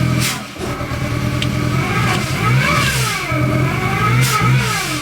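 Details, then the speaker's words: Supercharged R53 Mini Cooper, recently bought, running rough and stumbling in the driveway with revs rising and sagging unevenly and a wavering pitch, though it ran fine on the test drive; codes present. "you know what's crazy when I test drove it before I bought it it did not run like this so it's like almost feels like it's dying in my driveway"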